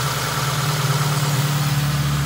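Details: 1984-1987 Honda Civic/CRX after de-vac, throttle cable refitted and idle adjuster turned in two to three turns; smooth even low idle with steady rumble, no hunting or surging; idle about right, valve adjustment may be needed for some clacking.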